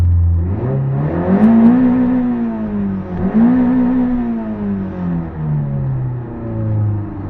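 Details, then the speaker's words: 1985 Toyota MR2 after its cylinder misfire was fixed, revved twice: pitch rises and falls cleanly with no hesitation, stumble or skip; engine runs very smoothly, though idle is still slightly high. "that's way better and you don't hear the the kind of uh hesitation or misfire I guess the sound is very very smooth"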